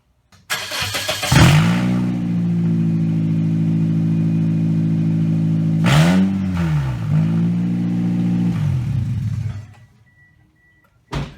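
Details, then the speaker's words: 2007 Pontiac Vibe before repair: loud, raspy, hot-rod bark on start and two throttle blips because the exhaust manifold joint came apart, losing both bolts, the springs and the donut gasket; leaking at the flange. "It's a hot rod. Yeah, the exhaust manifold came apart, lost both bolts, the springs, and the little donut gasket."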